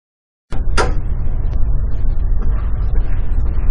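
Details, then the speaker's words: Building exterior rain screen cladding recorded by exterior sensor: two sharp pops at start over low rumble with construction noise; cladding panels popping. "in this particular clip there's actually two popping sounds in the very beginning and then you can also here at the back end of the chord"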